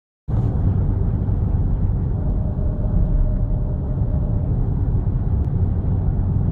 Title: 2010 Audi S4 whining noise